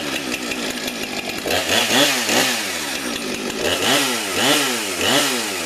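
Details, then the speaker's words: Husqvarna 455 Farm Tough chainsaw, about 5 years old, original chain sharpened once: crisp rev-ups and drop-backs about once a second, clean pickup without bogging or stumbling; healthy normal running. "it's a good runner but I had that Fame for about almost 5 years"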